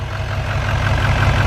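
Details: 2020 Duramax L5P diesel, 101,000 miles, stock, with a deep, slightly uneven, lumpy idle and the engine shaking a little. The misfire comes from a damaged injector wiring pigtail.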